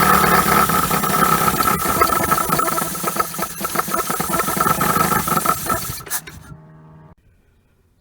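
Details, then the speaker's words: 1980 Dodge Colt Challenger (Mitsubishi Galant), four-cylinder automatic, rear-wheel drive, sitting 20 years since 2001; runs rough, surging and stumbling, then dies at about six seconds; water has got in, with rust and milky residue under the valve cover. "so clearly water has gotten in here but i mean it's running ish"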